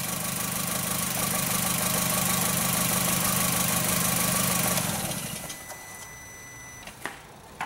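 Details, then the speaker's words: 2004 VW Jetta 2.0 L engine with P0303 misfire, idling while number three plug wire is pulled: idle lopes with regular stumble about three times a second, no spark at cylinder three, then shut off. "so on our number three go and pull this out and see you're not hearing anything not seeing any spark happening"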